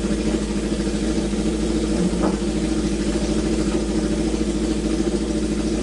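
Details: Neglected Honda CB750 inline-four first start after revival, on choke, oil slightly overfilled and leaking from overflow when revved: steady, even four-cylinder idle beat with no misses, knocks or ticks; normal running.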